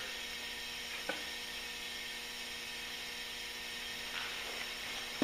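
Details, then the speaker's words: John Deere 317 cylinder leakdown test, engine off, almost 70 psi air into the cylinder: steady faint hiss as a little air blows by the rings; slight blow-by, tiny bit from oil fill, none from exhaust. "now I do hear air leaking and you're going to hear some cuz you're going to get air blowing by the Rings just a little bit"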